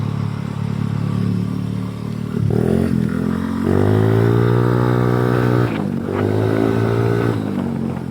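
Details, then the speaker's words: M3 scooter, 160cc setup (planned 199cc build), test ride: engine note rises and falls with throttle, rough clattery edge around 30-40 speed, quieter faster; owner suspects minor valve/internal clearance issue. "Tahimik naman siya pag medyo mabilis na eh. So siguro minor clearance lang to. Kasi pag siguro nilang problema ng M3, maingay siya kapag ka 30-40 takbuhan."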